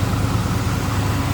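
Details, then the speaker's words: 1987 Oldsmobile Cutlass Supreme, 5.0 L 307 V8, automatic: fires right up to a deep, even burble at idle with no misses, ticks or knocks; smooth, healthy engine. "we'll fire it up here in a second two scene here run does fire right up sounds good smooth running V8 underneath the hood"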